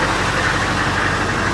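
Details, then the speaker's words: Normal diesel idle on a cheap auction Humvee showing 2,000 miles on a five-digit odometer, possibly 102,000; steady, even clatter with no knocks, misses or surging, sounds healthy. "But listen to her sitting there purring like getting out. >> She sounds so good."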